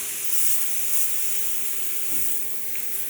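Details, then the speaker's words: New Aldi CO2 inflator with control valve, O-ring pulled out: steady high hiss of gas slowly fading; canister not empty, the valve has frozen up with moisture and gone frosty. "just frozen up. So loads of moisture. Yeah, plenty."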